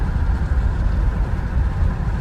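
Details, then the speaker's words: 1979 Lincoln Continental Mark V petrol V8: low, even rumble with no misses, stumbles or surging, running smoother than ever since bought. "Smooth as it's been since bringing the car home from ever. I mean, ever. It was never this smooth before."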